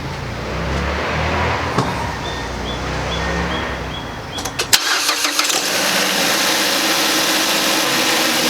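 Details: 2010 Mazda CX-7 after motor mount replacement, starting to check mount movement: engine cranks, catches and settles into a steady, even idle with no knocks or clunks; normal healthy idle.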